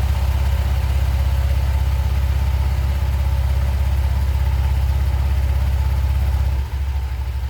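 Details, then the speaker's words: Honda Vario 125 ESP scooter after clearing dust from the clutch bell with a compressor, fixing take-off judder: even, regular idle putter about three beats a second, no rattle or judder; normal idle, running normally again. "Hai mantep suaranya jadi normal kembali ya"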